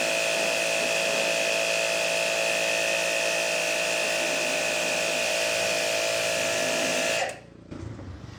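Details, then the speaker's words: Hanabi JBD 8003 induction-motor pressure washer, 127V/110V, under load with a 15-degree nozzle: strong, even motor whine at steady pitch without surging, then clean cut-off; very powerful, pump running healthy. "Cette machine est très puissante. Ce truc arrache tout."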